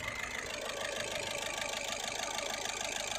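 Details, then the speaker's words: Skoda Rapid 1.6 TDI diesel idling with harsh uneven clatter about twice a second, heavy vibration, check engine and glow plug lights on; scan shows injectors 1 and 4 faulty causing misfire. "Engine की तरफ चलते हैं और यहाँ देखो engine में कितना vibration है और नॉकिंग भी है। इंजन बहुत ही बुरी तरह वाइब्रेट करता है।"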